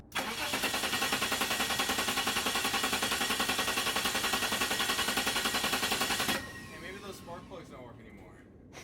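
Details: Cranks steadily at about three and a half beats a second for six seconds, but the engine never catches: hard start. Cause is suspected, not confirmed.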